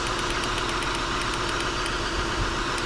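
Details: 2000 Acura TL idling with misfire codes P0306 and P0300, flashing check engine light and TCS light on. Uneven, lumpy idle with irregular ticking from a misfiring cylinder; a failed ignition coil is suspected.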